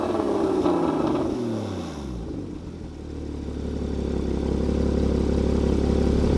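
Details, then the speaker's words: Porsche 981 Cayman GT4 with its valved exhaust opened: sharp revs climb and fall cleanly, then it settles to a smooth, even idle with loud open exhaust; normal healthy start-up and revving. "So that was with the valves open. It's got a valved exhaust system."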